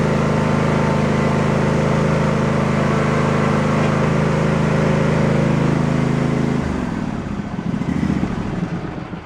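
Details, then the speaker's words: Husqvarna lawn tractor single-cylinder engine, first run after shift rod repair and reassembly: smooth, even hum for several seconds, then a clean shutdown. Runs fine. "Well, I'd say that's a success."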